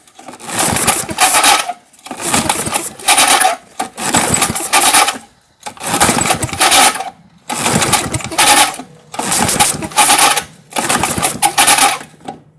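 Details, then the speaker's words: 1978 Tecumseh LAV50 5HP small engine, choked by hand, old gas smell: about seven rope pulls, each a short rasping crank burst, never firing. "I actually smell old gas trying to go in. Go ahead. Smell anything? A little. It smells like it's trying to run."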